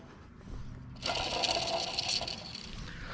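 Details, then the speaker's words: Pontiac Sunfire/Chevrolet Cavalier alternator spun before replacement: rough metallic whir with a thin squeal and growl on top, pointing to a suspected worn alternator bearing, not confirmed; alternator being replaced. "I mean listen to this you hear that squeal and growl"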